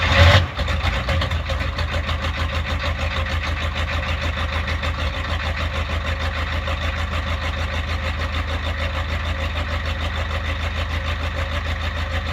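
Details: 1993 Ford F-350 7.3 IDI diesel cold start at about 15°F; cranks, catches and settles into a clattery idle with a slow, slightly uneven lope, a rough cold idle with no evident cause.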